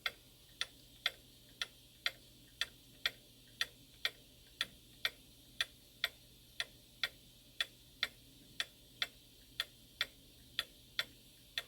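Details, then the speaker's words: Shanghai 555 pendulum clock on beat analyzer: sharp ticks about twice a second with short-long alternating gaps, uneven tick-tock; out of beat, won't stay running. "It's out of beat right now. I can hear it. You're going to be able to hear it too. Okay. See, clock when it's out of beat won't stay running."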